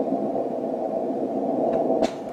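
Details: 160 m receiver: loud steady hiss rises when the antenna rotators are plugged into the power cord and goes away when unplugged; common-mode noise on the rotator cable, later suppressed with clip-on toroid chokes.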